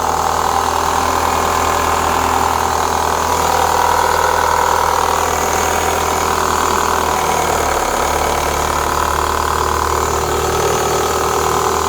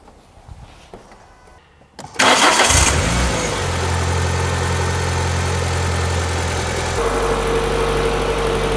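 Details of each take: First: 2004 Renault Clio 182, first start after years; steady idle with light uneven ticking from the top end, bottom end judged fine (not big ends/crank); worn dephaser pulley, cambelt change planned. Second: Renault Clio 182 left sitting for years, after exhaust, plugs and filter work, started to check whether an earlier rattle is gone: clean start, flare, then a smooth even idle with no rattle. Sounds healthy.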